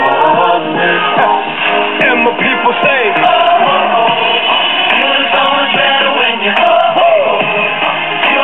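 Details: 1964 Philco AM vacuum-tube clock radio after replacing power-supply electrolytic capacitors and across-the-line capacitor: station plays clean through the small speaker with no loud background mains hum.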